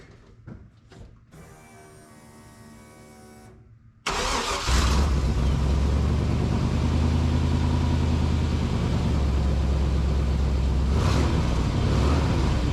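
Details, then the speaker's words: 2000 Chevrolet K2500 (Silverado 3/4-ton) service truck: engine catches, then settles to a steady idle with a fast, even puffing tick. The exhaust still leaks at the converter flange after a new gasket; the gasket wobbles and is held by only a few bolts. "right here's our flans oh no we still got a leak right here darn it right through here and look this gasket see gasket kind of wobbles"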